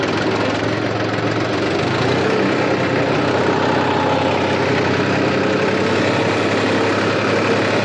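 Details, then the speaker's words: New Holland Farmer 35 tractor whose oil-immersed brakes made loud noise from low oil, now refilled with Atlantis UTTO oil: steady diesel idle while braking in reverse, no squeal, scrape or grind; brakes quiet. "देख सकते हैं दोस्तों मैंने ये break लगाया बिल्कुल भी आवाज नहीं है अब इसको हम रिवर्स में भी ब्रेक लगाएंगे"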